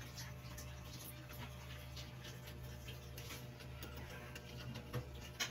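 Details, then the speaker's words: Electric fan after converting its motor to a new bearing: soft steady low hum with only air rush, no rattle, scrape or bearing grind; strong spin, quiet motor, healthy. "Ayan, lakas ng ikot, no? Tahimik po yung motor niya, tahimik yung buga ng hangin."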